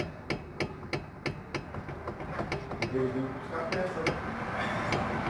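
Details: Chevrolet Corsa, suspension noise over potholes, wheel rocked by hand: sharp uneven knocks, about three a second, from play at a loose shock absorber bolt, to be fixed by tightening it.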